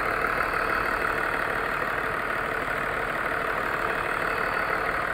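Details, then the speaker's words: BMW E39 with M54 engine at idle: steady idle with a faint, fairly regular knock about three times a second in the engine hum; knock seems to come from around cylinder 3, oil seeping through valve cover; cylinders disconnected one by one to locate it. "Стук откуда-то от третьего цилиндра, что ли, блядь."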